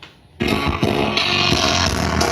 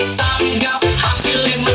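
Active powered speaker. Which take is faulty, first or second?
first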